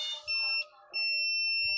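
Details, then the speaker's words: Panasonic top-load automatic washing machine that won't start although power is OK, with the panel opened: two clean high-pitched continuity-tester beeps, a short one then a long steady one, as a two-pin panel switch is pressed, showing the switch still closes properly. "Ayan mayroon siyang continuity pag pinindot natin dito."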